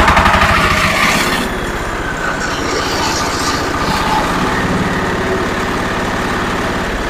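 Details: Zubr walk-behind tractor (motoblok) single-cylinder engine running after reassembly with the oil and water pressure sensors fitted and rpm lowered; started at 12.7 V. Steady, even chugging at about four beats a second with no knocks or rattles; running fine.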